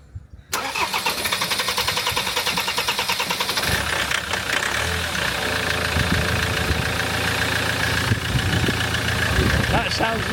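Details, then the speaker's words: Land Rover Defender 2.4 Puma diesel after injector service and fuel bleeding, previously chuffing pressure through the oil filler cap: catches after a few seconds and settles into a steady, even clatter with a clean rev blip, running sweet. "L uh sounds pretty sweet [Applause] though"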